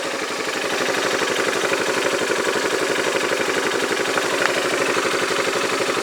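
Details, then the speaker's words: Yamaha Majesty scooter idling on the lift with the parking brake on: a steady, rapid metallic clatter of about four taps a second. The owner suspects the CVT clutch, is unsure whether it is normal, and plans to inspect the clutch and shaft. "doublet when I come down it's like metal-on-metal but that sounds like smelling metal-to-metal what does normal I don't know I don't that's normal or not but that's the noise I hear"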